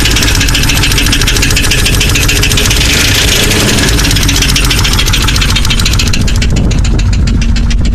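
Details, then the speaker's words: Jeep 4.0 inline-six idles with loud, rapid, sharp top-end ticking that gets louder at higher rpm, persisting after replacing all lifters and pushrods; all rockers and pushrods moving. "All the push rods, all the rockers are moving. Don't mind the antifreeze, I made a mess. But I'm still getting this tick."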